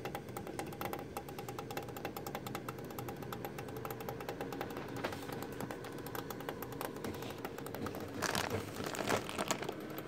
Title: Thermaltake Toughpower iRGB Plus 1200W Platinum PC Power supply Unit makes cracking knocking noises